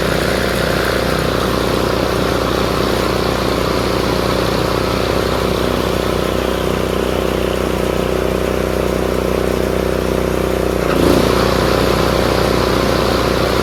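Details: Craftsman RER1000 riding mower after shortening a spring to fix high revving: even steady engine beat holds under blade load with no slipping squeal; deck drive pulling properly, normal running.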